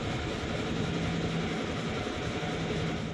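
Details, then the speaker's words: Tavria gearbox in top gear, 11 km after adding a gearbox additive concentrate without an oil change: low steady hum that fades out for a moment; whine seems reduced but mild gear whine remains. "и также воин спустя 11 километров войск стал вроде бы меньше и пропадает на долю секунды"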